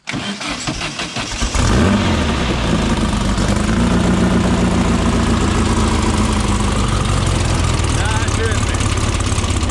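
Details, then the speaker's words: Volkswagen-engined dune car after a week-long dune trip, cold start with new carburetor and spark plugs: cranks briefly, catches, settles into steady even idle with all cylinders firing, much better than before; normal. "That's a cold start. Does it look good? Hear them all firing too, it sounds good."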